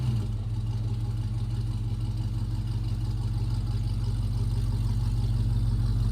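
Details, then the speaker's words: 1956 Chevy pickup V8 idling with newly fitted Dynomax Super Turbo mufflers, replacing rotted Flowmasters; even, steady low exhaust burble with no misses, ticks or rasp: normal idle. "I haven't heard it run yet, so this will be a first. I just hope it's not too quiet."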